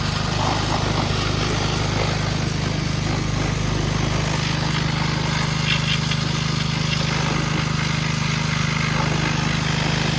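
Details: 2009 Kawasaki KLX140 dirt bike, sat about two years, bought used, jump-started with no battery; fired right up: even, steady single-cylinder drone with no misses, knocks or surging; runs pretty good, normal running.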